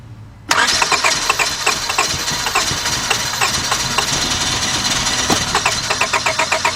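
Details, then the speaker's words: 2002 Honda Accord 2.3, shut down while driving after losing power: starter spins with regular chatter for several seconds but engine never catches; cranks, no start, spark being checked. "go ahead and crank it cranks but no start so we're gonna find out what the heck is going on"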